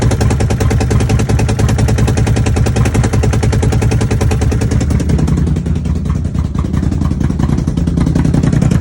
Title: Commander misfire?